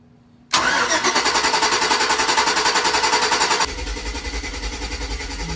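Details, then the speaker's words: 2006 Chevy Tahoe 5.3 LS with a stalling problem, cranking with a test light on the coil circuit to check for power. Steady fast cranking at about three and a half beats a second that never fires: crank, no start. "so that's in now so if I crank it we if we have if we have power to the coil that should light up if not we don't have power to the coil in that's where we're at right"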